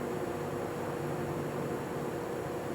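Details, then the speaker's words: Vintage GE box fan, oiled and motor cleaned: steady electrical buzz and faint whoosh as it strains to turn; motor hum on hard start, bearing seems to lock up after sitting, cause unknown; quiet once rolling. "You'll hear it start buzzing in a second here. >> And again, I'm unsure why it has that weird thing with the bearing. It seems like sometimes after it's stopped for a while, it kind of locks up a little bit."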